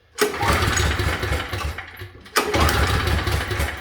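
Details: Pull-start generator not run since last winter: two hard pull-cord cranks, each a short chuffing burst that dies away without firing. It turns over but won't start; the owner suspects a forgotten detail.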